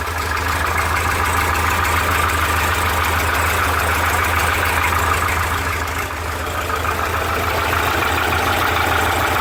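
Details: Porsche 912 at idle: a light, fairly regular metallic knock, about three per second, over the engine note, sounding like piston slap (suspected, not confirmed).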